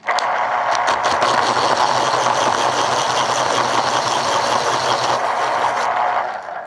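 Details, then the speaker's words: Panasonic KP-310 electric pencil sharpener (about 2004), auto-stop model, sharpening a pencil: quieter motor, even buzzing grind for about six seconds cutting off cleanly at auto stop, leaving a sharp point; normal sharpening operation. "Auto Stop certainly sounds different and right there is also another very nice sharp point"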